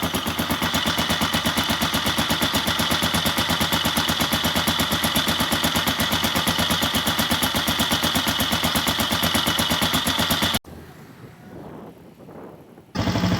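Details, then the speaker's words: Engine idling cold on Kixx 20W50 oil, before Mesran Super is added, gives a loud, fast, even mechanical clatter of about three beats a second over the rumble; rough, noisy cold idle, owner suspects the oil can't keep it smooth when cold. "Oh maaf, ini suaranya sumbernya dari mesin, berarti olinya nih kalau mesin dingin nggak bisa halus"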